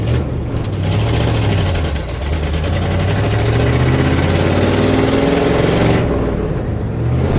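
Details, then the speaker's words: Truck on test drive after timing fix, under load: engine note surges and sags unevenly, stumbling hesitation; owner suspects it is sucking junk from a rusty fuel tank, not confirmed. "Oh, here we go again. I got to be sucking junk out of that tank. My tank is full of rust."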